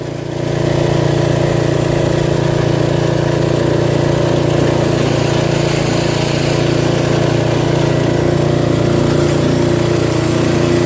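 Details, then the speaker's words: Toro Wheel Horse 825 riding mower, Briggs 8HP, after new battery, carburetor replacement and throttle linkage fix, while riding: engine picks up and holds steady even drone at working speed, no surging or misfire; runs really well. "But it handles very well. Engine runs really well. Stokage!"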